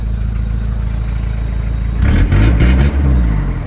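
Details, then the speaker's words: 1995 Mitsubishi Aero Body with the 4D56 turbo diesel: starts easily, with steady, even diesel clatter at idle, then clean quick revs that rise and settle smoothly. Normal, healthy idle and revving. "อ่าอ้าวเครื่องฟิกสตาร์ทติดง่ายนะครับผมระบบแอร์เย็นฉ่ำนะครับ"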